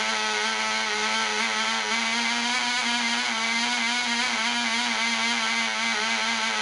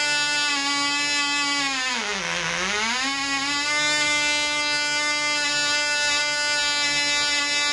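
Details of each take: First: Black Widow mouse racer glow engine on its first test run: polished crank bearings, fitted cylinder/piston, high-compression head, 5x3 prop, 24% nitromethane, needle valve set at three turns. A high steady buzz with a slight warble, soft and burbly; it is being run rich. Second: Black Widow mouse racer second run after loose screws found, 24% nitromethane fuel, 5x3 prop, high-compression head: loud high buzzy note dips briefly then climbs back and holds, about twice as loud with prop wind audible; runs better.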